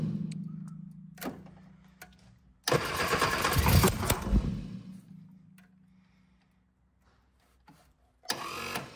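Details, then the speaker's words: 1965 Innocenti S Spider, 1098cc four-cylinder, run after years of sitting, on a jump pack with starter fluid and chokes held. A steady starter drone, then a ragged burst that almost catches and dies while backfiring out the exhaust. It fires but won't run because the firing order (1-4-3-2) is wired wrong. "I don't know why it's all of a sudden backfiring out the exhaust now okay now I have a back connection somewhere"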